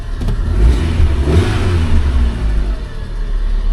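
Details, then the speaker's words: Fiat Punto with a 1.4 Fire petrol four-cylinder and 5-speed manual, at auction: revs up and settles to a smooth, steady low drone with no knocks or rattles; the engine sounds healthy. "It don't seem too bad. I mean, the engines don't really phase us, because 1.4 is an old fire engine."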